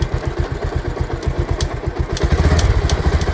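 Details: Bajaj Pulsar at 68,651 km, in gear with throttle: rough low thumping and rattling with sharp metallic ticks that swells as revs rise; drive chain noise.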